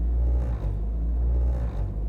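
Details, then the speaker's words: Honda Civic hatchback idle after a little throttle: engine rumble settles then swells and sags every second or so, surging roughly between 1,500 and 1,900 rpm instead of holding steady; long-standing idle surge, cause not yet confirmed. "And if we wait a while, it will start to come down, but then it'll start to surge. And there it goes."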